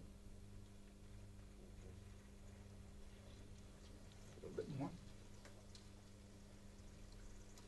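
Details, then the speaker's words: Small pump in a cavitation demonstration, after adding water to raise suction energy: quiet, even low hum with no crackle or rattle; cavitation stopped, normal pump operation. "The pump is happy. We're pumping. We're pumping. What did I do? I increased the energy available to the pump."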